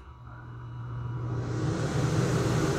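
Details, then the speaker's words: Air conditioner in a bus conversion, switched on through newly wired relays with the inside temperature at 70°F. A soft fan whoosh builds, then a deeper compressor hum joins; it starts up smoothly. "off that's the inside temperature 70 degrees so air-conditioner there and that should come on in a second"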